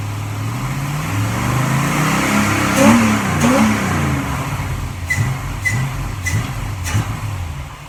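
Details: 1947 Ford Tudor street rod V8 with rare Holley "whistler" carburetor at idle: lumpy idle with a thin high whistle over it, traced to air leaking from the carb primaries; carburetor vacuum whistle.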